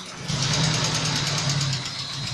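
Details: GAZ "Gazelle" with ZMZ-406 engine, compression measured and found normal: steady idle after start with a faint regular tapping over the hum, a knock of unclear origin inside the engine.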